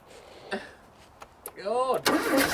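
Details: 1980s Ford XR hot hatch left in a Kent garden for 25 years, first start with fresh fuel plus additive: a few sputtering catches, then it briefly fires and runs unevenly.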